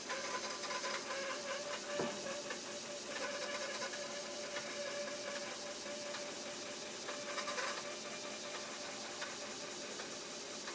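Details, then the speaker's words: Commodore 1571 disk drive during an alignment test reading 100%: a soft spinning whirr with a thin steady tone and light head ticks, slight squeak heard earlier; drive reads normally, bad discs blamed for errors. "so I think this disc drive is fine I think we just got to have good discs"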